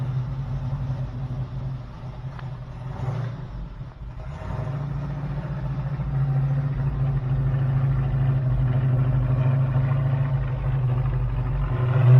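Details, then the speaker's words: 1972 Plymouth Road Runner 383 Magnum, first start after sitting 15+ months, stock/RV-grind cam: steady deep V8 rumble at high idle, smooth with no knocks or ticks; normal cam break-in. "let you hear the cam it's just kind of a stock or rv grind"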